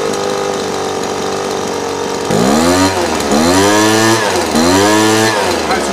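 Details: Small two-stroke holds a steady idle after low-jet carburetor tuning, set at 1 1/4 turns, then picks up cleanly on three quick throttle blips without bogging.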